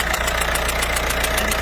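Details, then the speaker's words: PSA 1.6 DV6 HDI diesel, Citroën Berlingo, idling: sharp rhythmic chuff about seven times a second as compression blows back past a failed injector seal, carbon rising at cylinder 1 (gearbox side); injector seal compression leak. "Donc là on entend bien le retour de pression. En fait ce qui se passe tout simplement c'est qu'il y a une faille au niveau du joint par flamme."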